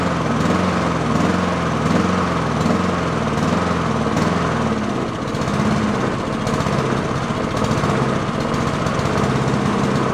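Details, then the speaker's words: Yard-sale Honda mower at full throttle with choke, warming up after carburettor cleaning; revs rise and fall in a regular hunt, under a second per swing, then steady; surging, owner suspects a clogged idle circuit. "we'll see if we can get rid of some of that uh oscillation but either that or that idle circuit is clogged and it's doing exactly what I just said as earlier with uh that getting that surging in there and that circuit is just not doing what it should be"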